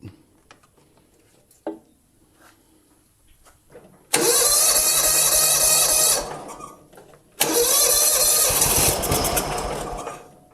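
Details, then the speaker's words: John Deere Hydro 175 mower left outside a long time, possibly with old gas: two cranking bursts, each firing only briefly before dying. The plug was soaking wet and the wrong BR8ES instead of the specified BR5ES, causing hard starting. "And it's soaking wet. Okay, the spark plug is a BR8ES that was in there, and that is the wrong spark plug for this engine."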